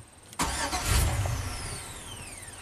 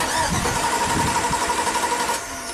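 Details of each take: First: 2003 Chevy Silverado Classic V8 with intermittent no-crank, bypassing the ignition switch yellow wire with a test light: starter whirs about 1.5 seconds and winds down without catching, then clicks; dash reads theft deterrent enabled. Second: 2003 Chevy Silverado Classic V8 no-crank diagnosis, starter relay socket pins 30 and 87 jumped to send voltage straight to the starter: steady, brisk cranking with a strong starter whir; the load side of the starter circuit is fine.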